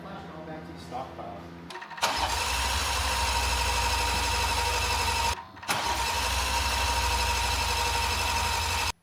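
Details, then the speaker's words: BMW M340i after fitting port injection, upgraded intake manifold, DS25 fuel pump and S58 injectors: long steady cranking twice with no fire; the fuel pump works and the engine seems flooded with fuel, fouling the spark plugs. "So we think we figured out what the issue is. It is our spark plugs over here. We're a little bit flooded with fuel."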